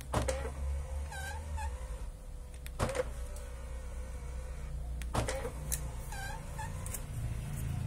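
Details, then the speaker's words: Power-folding side mirror squeaking as it folds; steady motor hum under a high chirping squeak from a dry pivot, fixed by spraying WD-40 or another lubricant with the mirror folded forward. "if the side mirror got a sound squeezing like this"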